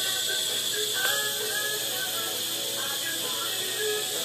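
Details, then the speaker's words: Newly replaced sink water supply shut-off valve, water turned back on with no leak, bleeding through a hose: steady hiss with sputters and pops as trapped air purges; normal, otherwise noisy puffing at the faucet. "hear all the air there a lot of air in there when you turn your valve on for the first time if you don't do it this way hook it up to the fosted you'll hear a lot of noise puffing and pushing"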